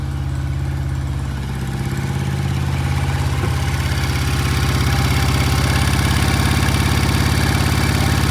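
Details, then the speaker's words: 1968 BSA motorcycle, kick-started cold before test ride: uneven, lumpy pulsing about 200 beats a minute slowly building as it warms, won't idle cleanly with one lazy cylinder; cause suspected, not confirmed. "Sounds like we got a lazy cylinder. Yeah. Huh. It doesn't want to idle."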